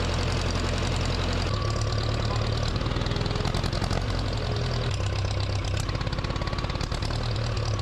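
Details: Case 420B backhoe running after its distributor fix (a bent crown washer under the rotor was flattened): deep, even rumble at idle, firing steadily without misses, knocks or surging.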